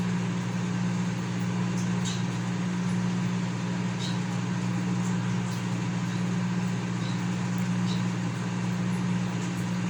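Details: Consul CM020 20-litre microwave after magnetron replacement (previously loud noise and no heating), heating water for one and a half minutes, water gets very hot. Steady even low hum, no rattles or buzzing; heating and running normally.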